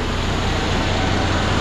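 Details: Cummins ISX diesel truck engine, first start after overhaul with new block (originally high coolant consumption and overheating): steady, even low diesel rumble with smooth uniform beat, no knocks or misses; normal idle.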